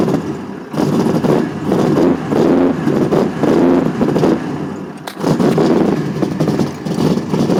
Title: ls2 stroker misfiring